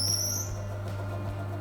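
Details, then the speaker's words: Woodfast BS350D 14-inch bandsaw, 2 HP induction motor with built-in brake: brief rising squeak at start-up, then steady motor hum; normal, centrifugal force releasing the brake. "so that little squeak at the beginning is the the as it starts the centrifugal force then releases the brake"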